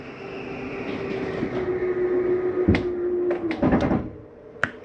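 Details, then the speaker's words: 2022 Flagstaff 832RKSB travel trailer slide-out retracting: steady motor hum, then a few hard clunks and short rattle at the stop; normal end-of-travel noise of the slide mechanism, not grinding, release the button. "once you hear that noise that's just the slide mechanism saying i'm not coming in any further go ahead and let your finger off the button some people think it's something grinding every time they open or close it not the case"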